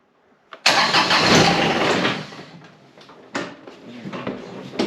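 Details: John Deere X758 diesel after an air and fuel filter change: it catches briefly, roars, then fades, followed by short cranking bursts that never settle: a hard start.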